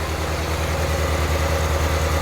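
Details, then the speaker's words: Euro-spec 1994 Ferrari F355 2.7 with Capristo exhaust and unknown cats, at idle, earlier O2 sensor faults and poor spark plugs: uneven stumbling idle with periodic skips, rough-running rattle on the side; misfiring. "And now that we have it running here at idle, there is a rattle on the side cuz it's running rough, so ignore that. But you can hear that it's really not smooth."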